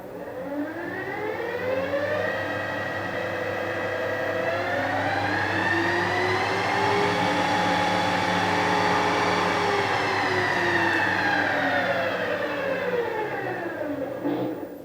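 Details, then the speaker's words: Harrison universal milling machine after servicing; earlier grumbling from main gearbox now gone: smooth gear whine rising and falling with spindle speed, no grumble or roughness; healthy gearbox running. "I might buy another actually that sounds a lot better since I started out the grumbling on the main gearbox so maybe that was the main problem"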